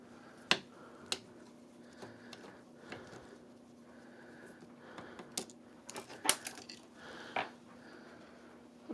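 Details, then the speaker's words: Live-stream audio with sharp, irregular, loud pops and crackles over a faint hum; suspected faulty lavalier mic or its wire, unconfirmed. "Okay. Sounds bad. Popping noises are very loud."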